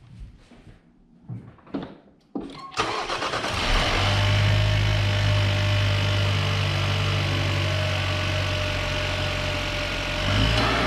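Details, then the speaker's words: Chevrolet Cruze with new intake after catch can install to cure a PCV noise, at start-up: cranks, catches and settles into a smooth even idle with no whistle or hiss; noise gone. "well that's definitely a plus i don't hear that noise anymore"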